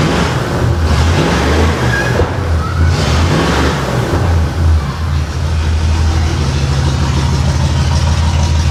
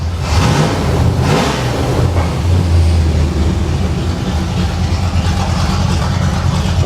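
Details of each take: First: 1989 Pontiac Trans Am GTA V8 after two swapped plug wires were corrected; starts faster and runs its best yet, but the heavy, loping idle shows several cylinders not firing. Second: 1989 Pontiac Trans Am GTA V8, running hot after long storage, hitting on all eight. The engine picks up cleanly when the throttle is blipped and settles back smoothly, with no misses or mechanical noise. Normal revving.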